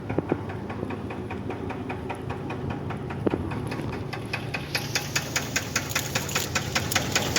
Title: WHAT ROD BEARING KNOCK SOUNDS LIKE